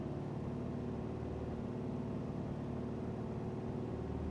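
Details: 2005 Subaru Legacy GT, EJ255/EJ257 boxer at 108k miles, before an engine rebuild: uneven, lumpy running with irregular stumbles, its typical misfire.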